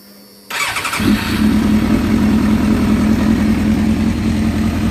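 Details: After replacing worn exhaust port gaskets and repainting the headers on a 95,000-mile four-cylinder motorcycle, the starter catches and the engine settles at once into a steady, even idle with no ticking or puffing at the headers; loud exhaust leak fixed, sounds healthy.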